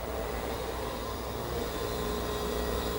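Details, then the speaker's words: Centurion minicomputer's hard disk drive, freshly cleaned, start button pressed: even whirring rush with a faint steady high tone and no scraping, mostly up to speed; about a 50-second boot cycle, normal spin-up. "Yep, there we go. It's mostly up to speed. Uh, it has about a 50-second boot up cycle."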